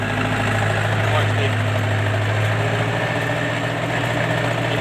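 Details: MTZ-82 tractor diesel with new injectors; dull, uneven knock at idle under the engine note. The cause is a broken-off fragment striking the piston.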